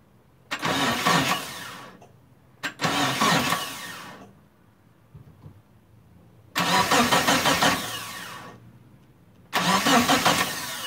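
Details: Mitsubishi Eclipse GST turbo, down about 9 years, first start after timing work, fresh fuel and charged battery: four bursts of steady cranking with no firing and no fuel pump prime heard; fuel pump or wiring fault.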